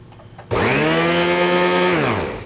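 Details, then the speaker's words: Riccar/Simplicity Centec central-vacuum powerhead needing a tune-up: Johnson motor spins up to a loud steady whine and coasts down with no grinding or rattle; healthy, loud from the cheap motor and metal base plate and brush roller. "It needs a little bit of a tune-up. Motor sounds alright. You'll notice it's pretty loud."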